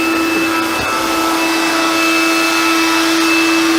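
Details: Hoover Convertible (Dial-A-Matic) U1124A vacuum cleaner after a service that cleared old filter-medium debris: steady even motor whine with airflow rush, no surging or labouring; running normally.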